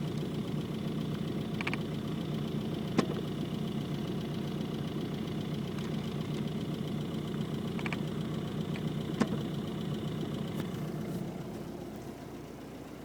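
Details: Isuzu Trooper idling just after AC switched off: uneven knocking patter with a faint high whine; cause unclear.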